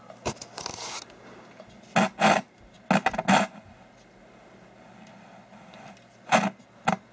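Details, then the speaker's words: Super Pac-Man arcade PCB after capacitor replacement: harsh irregular scratching crackle over quiet hiss, no volume control, from a faulty volume pot; fixed after soldering the pot in correctly. "i guess it didn't like that listen to that i need like that pot's jacked up"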